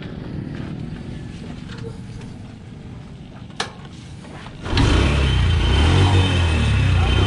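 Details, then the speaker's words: Honda Wave motorcycle that would not start despite fuel, spark and compression, running after gasoline was poured into the spark plug hole and the plug refitted; steady even putter, no misses or knocks, normal running. "mga so Ayan mga boss ano umaandar na siya at madali na siyang paandarin"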